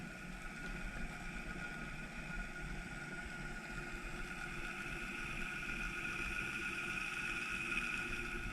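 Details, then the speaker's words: Rewound 2 HP Crompton Greaves single-phase motor, 36 slots, previously running at 2.8 A: quiet, smooth hum fading evenly as it spins down after switch-off, with no rubbing or knocking. A healthy rundown, and the centrifugal switch then clicks, confirming it works. "अब धीरे धीरे इसका RPM कम हो रहा है, speed slow हो रहा है, यानी बंद पोजीशन में जा रहा है।"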